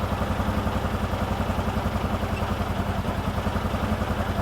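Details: 2018 Odes Dominator 1000 X4 LT idling with injector 2 malfunction code, rpm bouncing; lumpy, lopsided idle with a steady uneven thump about three and a half per second, one cylinder dead; idle misfire from injector wiring fault.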